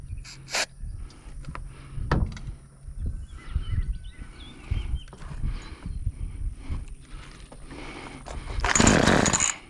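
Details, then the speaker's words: Homelite chainsaw unused about four years, very dirty, air filter dirty: scattered cranking pulls, then a short rough burst firing only on starting fluid; spark and compression seem good, the carburetor is leaking and is to be changed. "it fired up so man everything's working right may have to see what's going on with this carburetor and everything but everything else appears to be hitting just right"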